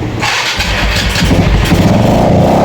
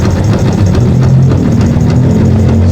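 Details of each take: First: Yamaha FZ that would not start, after cleaning the carburetor (old choke not working) and draining water from the fuel tank: cranks, fires and settles into a steady, even idle hum; normal start and idle. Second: Yamaha FZ motorcycle (green plate) at very low idle after being brought in not starting, now running: loose, uneven clatter over the deep running note; clutch housing suspected damaged, rattles when idle is too low, not confirmed.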